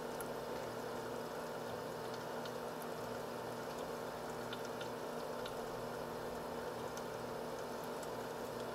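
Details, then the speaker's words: H220 liquid CPU cooler pump at steady 2947 rpm per SpeedFan, near max, no case or radiator fans, side panel off, warm coolant; faint steady mid-pitched hum with soft water trickle, no rattle or grinding: normal pump operation. "give you the speed readout according to speed fan on the pump speed right now it's running at a steady 2947 rpm"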